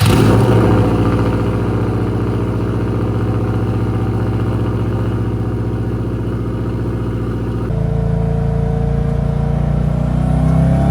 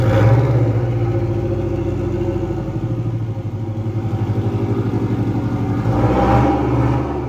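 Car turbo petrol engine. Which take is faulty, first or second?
second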